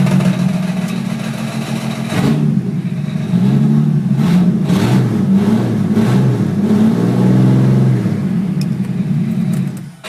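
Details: Holden VR Commodore with exhaust disconnected: loud raspy petrol engine revving with a loose, uneven rattle attributed to an old, worn harmonic balancer.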